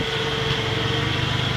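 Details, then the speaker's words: 1996 Ford F-150, 130,000 miles, after replacing spark plugs (#5 had a loose spinning electrode causing a miss and valve-tap noise): smooth even idle with a steady low drone, no ticking or missing; running on all six cylinders. "but as you can hear she's going pretty good right now know for something that's got 130 000 miles on there"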